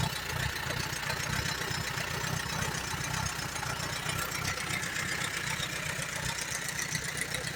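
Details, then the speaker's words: 1938 Allis Chalmers B with Waukesha engine: low, uneven idle with a ragged beat. It keeps going only on choke, plugs are slightly rich, and the carburetor needs a rebuild badly. "This thing needs a carburetor rebuilt pretty bad. It don't want to run on nothing but choke."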